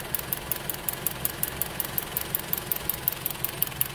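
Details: 4-cylinder car running on LPG with STAG WC-03 injectors: sharp loud ticks about five times a second over a rough idle, worn LPG injectors clattering.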